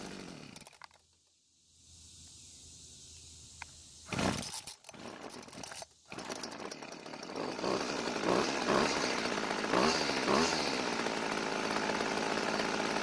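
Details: Old Homelite two-stroke string trimmer that quit and wouldn't restart despite fuel, spark and compression: after priming the bulb and a few pulls it catches and settles into a steady, buzzy run, running properly.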